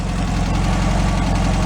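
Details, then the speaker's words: 1965 VW Beetle air-cooled flat-four after complete rebuild, out on a drive: steady even low idle with smooth beat, no knocks or ticks; normal idle, owner says running perfect with no leaks. "tell you she is running perfect"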